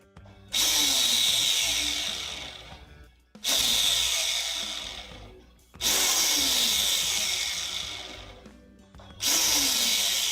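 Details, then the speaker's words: Electric motor, checked with a stethoscope: spins up to a high rushing whine with a scratchy rubbing edge, coasting down between runs; confirmed still that bearing, owner considers ceramic replacement; worn motor bearing. "I'd order ceramic bearing if we're gonna order them. Ceramic bearings would not make that noise. Like, almost ever."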